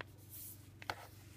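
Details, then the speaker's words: Nexus 9 tablet squeezed at the sides: two small sharp clicks from the loosely attached back panel, loose at bottom left in portrait. Clicking from loose back panel. "the back is loosely attached so that's why when you hold on onto the sides uh you can hear the small clicking noise and actually you can feel the back panels moving a little and the pressure"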